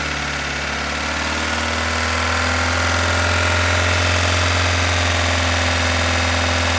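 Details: 2015 Opel Astra H Z16XEP idling: a loud, fast, regular top-end tick at about 3.5 per second from the valve area; it disappears when cylinders 3 and 4 are cut, persists after replacing their lifters, and non-original camshafts are suspected.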